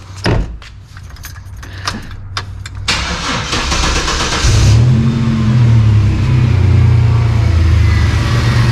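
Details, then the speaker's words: 1992 GMC Sonoma GT, 4.3 V6 CPI, after long idle surge problem fixed: catches after a few clicks and settles into a steady, even idle with no hunting or surging. "idols like a kitten I'll give you a little bit more time just to prove it"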